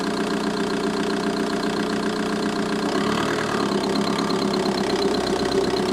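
Diesel idling steadily with a light, uneven tick on top of the clatter; a ticking from the engine bay, cause not pinned down.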